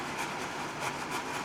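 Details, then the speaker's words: BougeRV 3500BTU outdoor portable air conditioner running in turbo (high fan) mode: steady fan rush with light irregular buzzy ticks from leftover tape fluttering against the casing; removing the tape made it sound much better. "Oh, and the noise that you're hearing is from, let me take this tape out."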